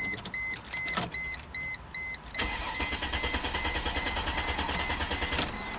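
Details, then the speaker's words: 2005 Chrysler Crossfire convertible, which stalls once warm and won't restart until cooled: warning chimes, then steady even cranking that never fires. Crank-no-start; a failed crankshaft position sensor is suspected before reading codes. "Okay, crank, no start. Let's plug in the scanner. So right off the bat, I'm suspecting a failed, probably a crank sensor, because it happened as the car is warming up."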